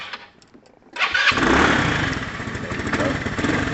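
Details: Lexmoto FMX motorcycle after lighting wiring repair: quiet, then a short crank and the engine fires straight into a steady, even idle; normal healthy start.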